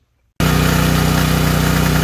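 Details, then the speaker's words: Generac MegaForce 6500 generator, about 20 years old with 71 hours, running at adjusted governed high speed of 61.4–61.5 Hz. Steady, even drone with no misses or surges; it runs normally. "all right we got the machine going and we've adjusted the high speed right here [Applause] 61.4 61.5 hertz is where you want it to be"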